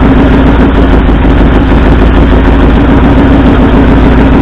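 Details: 1964 Ford F100 V8 at idle during a cylinder contribution test, pulling plug wires one at a time: a loud, lumpy, uneven idle; driver-side front and passenger-side second cylinders show no rpm drop and aren't firing.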